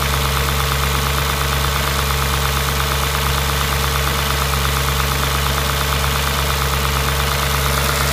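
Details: Audi S4 B6 engine at idle: deep steady hum with a loose knock underneath, under two per second; abnormal engine noise, cause unclear.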